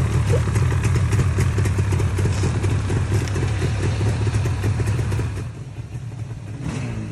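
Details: 1978 Yamaha RD400 two-stroke, unstarted since 1993, first start after carb cleaning and tank rust removal: crisp buzzing revving with quick regular popping beat, then settling lower; running normally.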